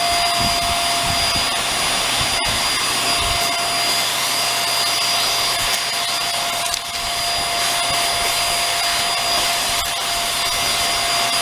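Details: Hoover Air Steerable (WindTunnel) vacuum, brush bar running during cleaning for a whistle and weak suction: a steady, even motor whine with no rattle or scrape. The brush bar spins freely with only a little hair on it.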